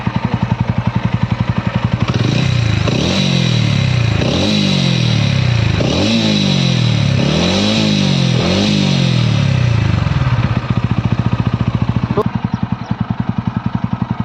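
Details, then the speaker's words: TVS Ronin 225 motorcycle at 495 km, just back from a week at service for an engine noise problem: idle steps up into about four smooth, even revs, then settles back to steady idle; no knock or rattle, normal after repair. "तो यह sound butter है काफी अच्छा ए रहा है normal sound है engine का"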